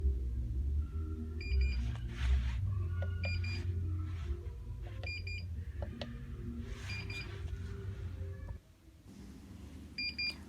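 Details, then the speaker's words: 8-in-1 heat press beeping continuously, short high beeps about every two seconds; holding plus and minus for 30 seconds then pressing mode did not help; the fix involves switching off and unplugging everything, with the fault pointing to a poorly seated cord. "after I've discovered that um my heat press is just beeping my supplier told me to hold both the plus and the minus buttons uh for 30 seconds and try to press mode again"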